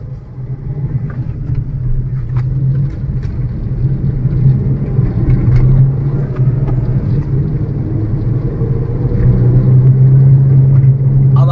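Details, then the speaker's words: Maruti Suzuki Ciaz in first gear then above 40 km/h, all windows closed: loud low cabin hum droning like a helicopter or truck tyre; worn front wheel bearing. "अभी हमने चारों काच को बंद करा हुआ है फिर भी देखना इस गाड़ी के अंदर हद से ज्यादा साउंड आने लगेगा ऐसा लगेगा जैसे या तो कोई हेलीकॉप्टर उठ रहा हो या कोई ट्रक का टायर बज रहा हो"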